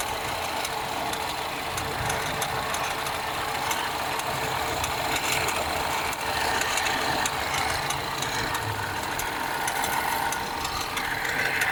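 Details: BMW 316i F30, first cold start of the day: steady idle with quick light ticking over the engine hum, not changing with revs, from a bad radiator/AC fan belt tensioner; should be replaced before it breaks.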